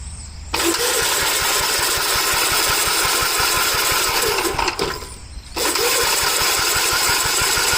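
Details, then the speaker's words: Early Gravely garden tractor (1961 or 1973) with no governor, cool weather: two long bursts of steady cranking at three to four compression beats a second with no firing; won't start, tank nearly empty. "I thought it had gas in it. It has gas in it. It has a very little bit. Nah, it doesn't really have anything in it."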